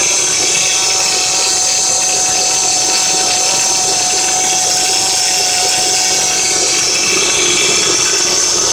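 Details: Acura TL running: steady high whine from the belt pulley area; owner suspects the power steering pump pulley but is unsure which part to replace; cause not confirmed.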